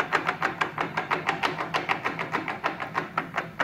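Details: 10EE lathe headstock with its cover off, investigating gear noise around the adjustable threading gear; forward or reverse makes no difference. Rapid, even clatter of sharp clicks about six per second. Gear train rattle, cause unconfirmed.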